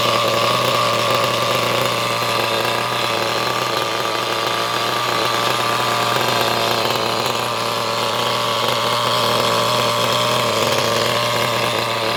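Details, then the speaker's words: Used HPI Trophy nitro buggy engine after the idle screw was turned in: a high-pitched, steady buzz holding an even idle without stumbling. Runs well, though the idle is possibly slightly high. "Seems to run quite well, I reckon."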